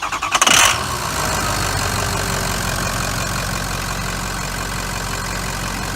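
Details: Ford F550 Lariat 6.0 PowerStroke, manual, after rebuild with fresh engine, turbo, harness and balanced injectors: catches quickly and settles into a smooth, steady diesel idle with no knocks or misses.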